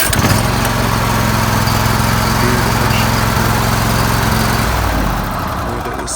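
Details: Zero-turn riding mower engine after starter replacement (it previously wouldn't start, only clicking): runs at a steady, even pace, then winds down near the end.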